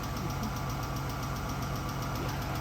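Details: 2014 Dodge Charger 3.6 Pentastar at idle: light, quick ticking under the hood, the common collapsed lifter or rocker issue of this engine.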